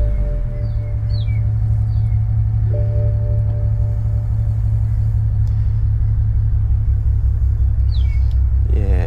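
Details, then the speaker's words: BMW E92 335i N54 17T hybrid turbo, warm, with the mic near the exhausts: deep, lumpy, uneven burble at idle, about three pulses a second, with no fault codes and smooth revs above idle; owner suspects a misfire or a cylinder low on compression. "and yeah so basically it's got a it's got a rough idle or a it's a misfire in my opinion"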